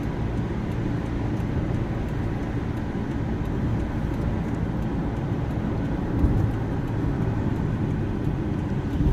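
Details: Subaru Outback wagon, original front end at 130,000 miles, driving on highway in snow: steady low buzzing drone under road noise, holding constant; source unknown, owner mentions bearings.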